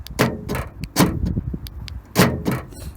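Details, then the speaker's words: Nissan NP300 Navara D23 pickup, aftermarket Eagle4x4 tailgate central-locking kit: sharp metallic thuds, three about a second apart, as the rear lock actuator bracket bends and hammers the tailgate metal behind it. "Now when I put my finger under here, when I want to hold in the camera, it's actually pretty tight to that metal behind and it does hammer your finger. That's what the noise is."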